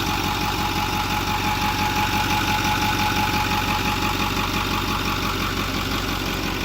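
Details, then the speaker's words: 2008 Ford F250 6.4L turbo diesel after replacing failing electric diesel lift pump (P2291, died when hot) and purging air; steady idle clatter about three beats a second, no misses: normal idle. "Ya después de purgar el sistema. Sí. Prendida."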